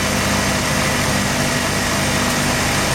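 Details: Mazda RX-7 rotary at idle, failed inspection with extremely high CO (2.70): rough, shaking idle with lumpy stumbling exhaust beat and dropouts, misfire worse with slight throttle, no oil pressure shown, ignition leads measured, cause not found.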